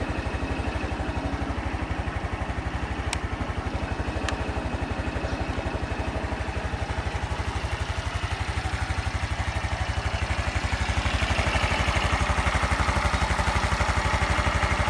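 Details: Honda Super Cub 110 JA07, fuel-injected, fully stock, start-up check: steady even single-cylinder beat about four pulses a second, no ticking or knocking; clean healthy idle with no abnormal engine noise.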